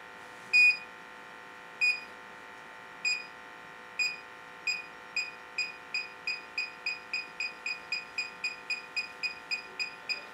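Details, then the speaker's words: Electronic gas detector at the gas shutoff of a Rheem furnace: beeps quicken to about three a second near the shutoff; suspected small leak, possibly why homeowner smelled gas, soap bubble check planned. "so we got pretty good mount little beeps here right there on the gas shutoff mmm probably why the homeowners been going I think I smelled gas sometimes"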